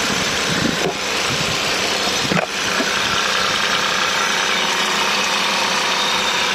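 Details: Cold-start idle noise on a Hyundai i20 1.0 TGDI 101 PS: loud, hissy, rattly top end with a couple of sharp clicks; cause unclear.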